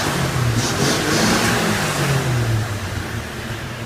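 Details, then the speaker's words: 1961 Chevy truck, warm with heater on, after new thermostat and valve cover seal; engine picks up quickly and smoothly and settles back without stumbling, where it formerly could not be revved; healthy free revving. "I used to you couldn't over rev it now I'm I was scared to over rev it that that's fast fast RPMs and I'm glad"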